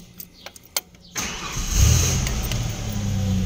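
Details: Car that only clicked on cranking, after start terminal reconnected and wire rerouted: quiet clicks, then starter turns and engine catches at once, settling to even idle; normal start.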